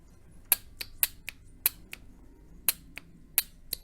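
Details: Honda J-series V6 automatic transmission linear solenoid (28250-P6H-024, P0747 code), cleaned of clutch friction debris, bench-tested on a 12 V battery via alligator clips: crisp sharp clicks at uneven intervals, about ten in four seconds; solenoid working.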